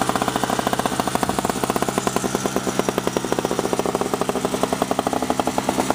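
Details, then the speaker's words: 2003 Sears Craftsman two-stroke snowblower after sitting two years; carb was black/brown inside, fuel filter clogged, intake gasket replaced, spark plug seized in head. Rapid, even popping, no misses or surging, running cleanly under auger load; normal two-stroke running. "So it should only take me one pull to get this thing going, because this thing really is smooth. I basically say it's probably the smoothest one I've ever seen after running under for that."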